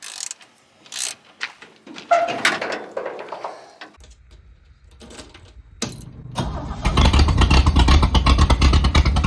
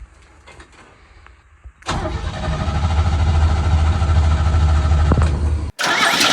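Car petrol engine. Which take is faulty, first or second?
second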